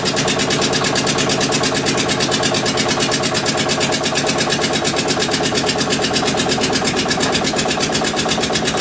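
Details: Witte diesel generator, unstarted 45 years, refilled with water and three gallons of oil: loud, fast even chuffing at constant rate, no misses or knocks; engine runs steadily though generator shows only about 2.5 V versus ~64 V expected.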